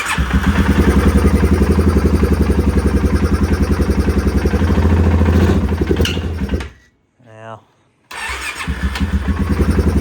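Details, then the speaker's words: 2016 Polaris Sportsman 570, previously drowned, now starting and idling with little throttle and the intake removed. Single-cylinder thump about four beats a second, slightly uneven, then a thin rising screech as it stops; cause unknown. "now hard to say I don't like when it comes to a halt it kind of screeches though"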